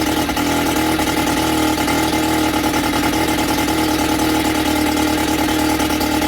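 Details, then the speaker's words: Sea King 6 outboard (VWB19074A) during repair, first run after priming and checking fuel flow; buzzing at fairly steady speed with slightly uneven, blubbery note, owner thinks a little too rich. "It's pretty good. Let's see if it's going A little bit too rich I think."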